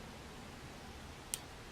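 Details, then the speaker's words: Old TCP 24 V 45 W soldering iron holding temperature: a single sharp light click against a quiet room as the on/off magnetic reed switch thermostat opens; normal cycling. "you can hear them click because it's not you know it's not fine control is either on or off and you can hear the reed switch clicking open in fact it just did it then"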